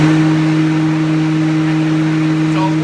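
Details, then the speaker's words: Homemade dust-collector blower converted from a Billy Goat debris loader, motor rewired from a 110 V plug to 220 V after it kept tripping the breaker and barely turned the fan: loud steady electric hum and airy rush, no labouring; runs fine, moves lots of air. "I don't know how many CFM this thing pulls but it really really does haul it was absolutely the perfect choice for my shops dust collector it moves a ton a ton of air"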